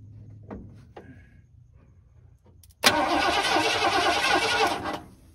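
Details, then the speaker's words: 1979 Ford F-150 Custom tool-body truck, sitting since 1999, hot-wired with no key, ignition not yet connected: starter spins engine evenly and quickly, no drag or clunk; turns over fine. "turns over just fine now I've got to hook up ignition"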